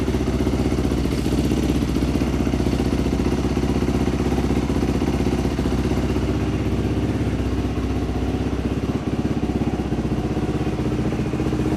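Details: Dirt bike after a top-end rebuild, fixed after idle speed adjustment restored the fuel squirt; fast, even single-cylinder putter around four beats a second, steady with no misses or stumbles; normal idle.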